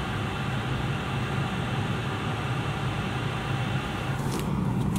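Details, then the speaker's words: VW California Ocean parking heater warming up, heard under the van: steady low rumble and airy blower hum; fan slows once up to temperature; running normally. "sad about once you've in the van you can't eat the outside boy just be the fun blowing on the inside once he gets up to temperature this the fan speed slows down"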